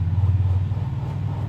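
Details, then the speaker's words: Honda Vario 150 scooter rear drive after replacing a worn bearing: steady low rumble, smooth when rocked or spun, with the previous tek-tek ticking and knocking gone. "ini untuk hasilnya e tadinya kan Kalau digoyang-goyang itu bunyi ya tek tek tek tek gitu nah ini sudah halus guys ya Nah tuh sudah halus"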